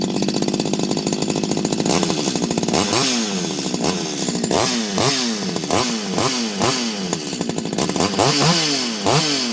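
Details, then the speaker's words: Stihl 025 chainsaw after full rebuild (cleaned, new seals, modded muffler, original bearings): two-stroke blips cleanly from idle to high revs and drops back evenly, no stumbling or misfire; normal running. "so nice running chainsaw nice noise everything works"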